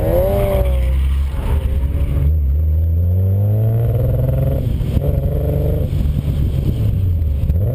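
Car engine revving with an uneven, stumbling beat as revs rise and fall; a misfire, cause not evident from the sound.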